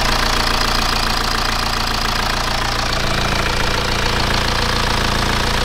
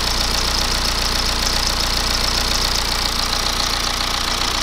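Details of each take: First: BMW E87 1 Series N47D20 177 hp diesel at idle after reassembly: steady normal clatter, earlier noise gone, though an internal engine issue remains under the valve cover. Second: BMW E87 1 Series with N47D20 177 hp diesel at idle: busy rattling knock about three to four beats a second; customer suspects timing chain stretch, mechanic unsure it is the chains; crankshaft pulley found completely failed.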